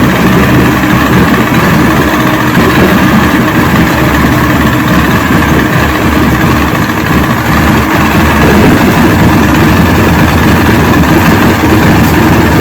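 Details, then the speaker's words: 1970 Evinrude 85hp two-stroke outboard, hydro-electric shift, about 50 years old, new water pump impeller, just started on key with choke, in a water container: loud steady neutral idle, even firing, no misses or knocking. "so choke and ignition so cross your fingers people hey we have life all right that's the secret i think"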